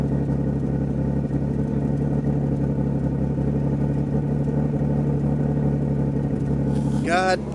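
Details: Nissan R33 Skyline with freshly rebuilt turbocharged RB30 six (RB25 VCT head, RB26 cams, EFR 8374 turbo, Link G4+ ECU, Autodream crank trigger); steady, even low idle with a regular beat and no knocks or misses, healthy.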